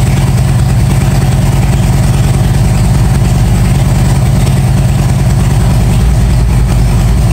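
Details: 1997 Harley-Davidson Road King EVO, first start after top-end and camchest rebuild, pressure washer noise in background: loud, deep, even V-twin lope with no tapping or clatter; healthy idle.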